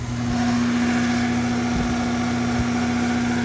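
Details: Condenser fan motor on a roughly 2018 AC unit, run alone on jumpers after fixing reverse rotation; capacitor had tested 4.5: loud steady low hum, now spinning the right way but really loud, motor replacement recommended.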